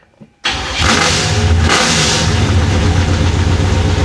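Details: 1966 Chevy Impala V8 cold start, water temp ice cold: catches after short pause, fires into steady even rumble, no misfire; oil pressure about 70, voltage 15; healthy start, throttle return spring missing.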